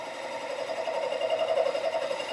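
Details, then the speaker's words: Cadillac 429 cast-iron cylinder head, intake valve seat being cut and sunk past the spark plug notch: a steady mid-pitched cutting tone with a rapid fluttering rattle. The seat cutter is chattering. "okay you're getting a little chatter ad you're making me nervous"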